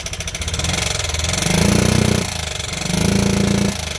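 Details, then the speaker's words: Motorcycle left unstarted about a month, cold start with choke after self-start failed, started on first kick: steady single-cylinder idle with soft even thump and slight surging; sounds healthy, normal idle. "ஒரே அடியில் start ஆகிடுச்சு. சவுண்டை பார்த்தீங்களா எவ்வளோ இதாக இருக்குது sound."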